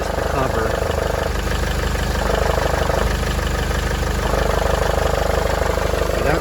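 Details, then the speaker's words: Mercedes-Benz GLK250 OM651 diesel at 151,000 miles with 10,000-mile oil changes on Mercedes-spec oil, cold start, phone held underneath: even diesel clatter at a steady idle with no timing chain rattle, a little louder cold, normal. "one of these should sound with proper maintenance proper oil and so forth it is a little louder when it's cold but that's just normal"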